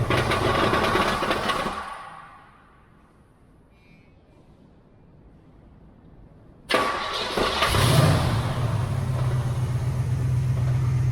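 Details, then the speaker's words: 1979 Pontiac Firebird Trans Am, 6.6 big-block V8, first start attempt: starter grind, near silence, then catches into lumpy idle with faint off-beat; reported noises, said possibly the converter or engine; cause unknown; coolant expansion tank leaking. "um yeah so I lost the noises they say maybe it's the converter it could be the engine that could be a lot of things"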